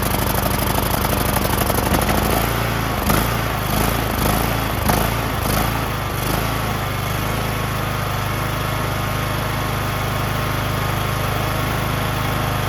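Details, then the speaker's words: John Deere LA110 lawn tractor, rebuilt Briggs 19.5HP engine, first run with new carburetor, warming up, idle screw adjusted: steady, even idle after some uneven running at first; runs great; normal idle. "I rebuilt this engine. Can you believe it? Runs great."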